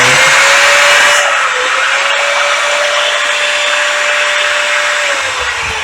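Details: Old Bosch S6-100 4-inch angle grinder before repair, front housing bearing loose and worn, switch also jamming: high steady motor whine with a faint rough edge, dipping briefly once. Front bearing to be replaced. Worn front bearing.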